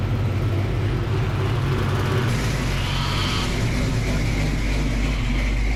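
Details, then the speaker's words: Freshly built 306 HCI engine in a Fox-body, first start-up with the newly installed transmission and a fixed water leak, belt and power steering pump fitted: warm engine holds a steady, even low rumble at idle with no misses or rattles, sounding healthy. "that's the power steering pump down there seems to be doing pretty good doing pretty good guys"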